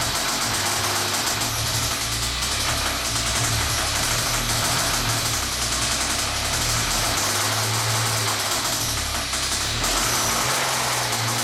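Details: 1998 Ford SVT Contour idling: steady, deep knock under a lot of hiss from bad rod bearings.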